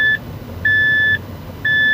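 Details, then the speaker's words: Mazda 3 running dual fuel (petrol and LPG), road test after ignition coil repair for shaking, stumbling engine with check-engine light: three high-pitched beeps from the LPG system switching, which is normal; engine runs smoothly afterward. "อันนี้ใช้2ระบบนะได้ยินเสียงแก๊สดังติ๊ดๆเลยนะ"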